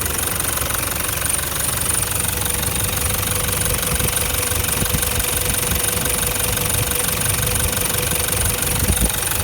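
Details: 2012 Toyota Land Cruiser Prado LC150 diesel, injectors never changed, later engine failure with cracked piston: loose uneven rapid clatter about 300 per minute over rough idle, pronounced diesel knock, some exhaust smoke; cause unconfirmed.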